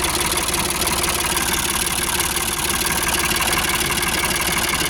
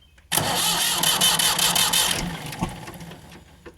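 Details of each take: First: Ford 4600 (1000 series) classic diesel tractor, newly fitted with a service-exchange injection pump after standing a long time, idles with a steady, even low tick-over and no knocks. It is running cleanly, with minor fuel-leak dampness being checked. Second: Ford 4600 tractor diesel with a newly fitted service-exchange injection pump and injector pipes cracked open for bleeding. Cranks with an even churning beat for about two seconds, never catches, then dies away; no start from air in the fuel lines.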